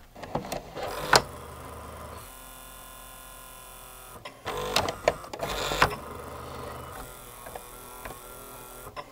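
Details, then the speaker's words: Sony SLV-N700 VHS VCR, microphone right next to the loading motor: short straining whirs with sharp clicks as the motor spins but cannot drive the mechanism; its gear is cracked and loose on the motor shaft. "the motor is actually trying to run but it can't i believe there's probably a crack in this gear where it presses on to the motor"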